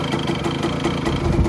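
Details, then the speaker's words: 1985 Kawasaki KE100 two-stroke, sat many years, idling in neutral with charging working: quick, even popping tick-over at a steady pace, no stumbles; healthy idle. "but she's sitting there ticking over nice neutral lights on"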